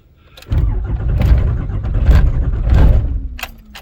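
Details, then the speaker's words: Rebuilt 5.9 Cummins swap cold start at 21°F ambient, coolant 28°, five-year-old dual batteries, anti-gel fuel, no block heater or grid, no throttle or spray: first crank drags slowly with heavy uneven compression beats, no catch. Slow crank, no start; starts third crank. "That's first crank. Let's see what we get here. Temperature is 28 degrees on the coolant."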